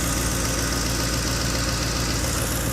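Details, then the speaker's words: 2010 Ford F-150 4.6 V8 at about 178,000 miles, idling steady and quiet after repairs including exhaust manifold studs; even low rumble, no exhaust leaks, knocks or misses; electric fan runs with A/C on. "it's quiet no exhaust leaks or anything 178 000 miles i believe so anyway electric fan works when i turn the air conditioner on man she sounds good"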